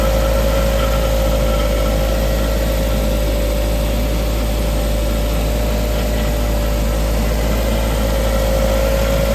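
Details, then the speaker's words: Ford Fiesta ST150 with a newly fitted replacement engine, warmed to temperature with the radiator fan kicked in and air bled from the cooling system: smooth, even idle with a steady low drone, no knocks or misses. Normal idle. "But it's running nice and like I said, it's it's kicked the fan in now. So, it's part of the temperature. So, that's all good."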